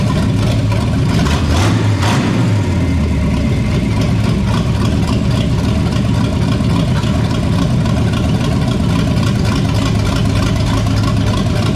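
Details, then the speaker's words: 1973 Toyota Land Cruiser FJ40 first start after sitting many years, timing set, fresh fuel and oil, exhaust not yet fitted to new headers: brief throttle blip then steady, even, deep run, no knocks or misses; normal running. "that sounded pretty damn good there though"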